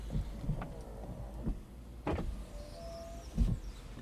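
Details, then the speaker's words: 2007 Audi A4 B7 cabriolet soft-top roof after repair, motor at the back of the car on one side: short bursts of smooth motor whine with soft clunks as the roof goes back up; before the fix no motor sound at all. Normal roof motor operation. "I'm gonna put it back up again now. can hear the motors running. Before I couldn't hear nothing at all."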